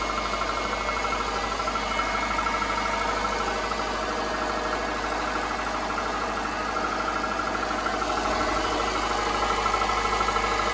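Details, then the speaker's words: 2005 Subaru Impreza 2.5 L non-turbo EJ25 on cold startup after sitting for days: hollow, fairly regular knock about two to three per second, loudest at the center of the engine. It is piston slap, which quiets once warm. "so if your car sounds like that it is piston slap"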